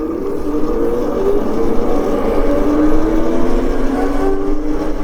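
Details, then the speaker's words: CyberX e-bike after belt drive conversion of one of its two chain stages, ridden at speed (about 50 mph, speedometer reading 32): smooth motor whine, no chain rattle or slap, much quieter than the chain. "So much quieter. Wow. Yeah, it's definitely quieter. That's crazy how just half of a belt conversion, like, cause there's 2 chains and 2 sprockets. It's crazy how that makes such a difference."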